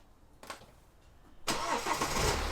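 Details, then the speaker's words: BMW 318 after replacing the antifreeze-contaminated drive belt: quick crank, then the engine runs smooth and quiet with no belt squeal, which was loud before. Normal start and idle. "just check it again make sure it's all good quiet Happy Days oh she's as good as gold Oh What A Difference that's made just by stopping out the belt"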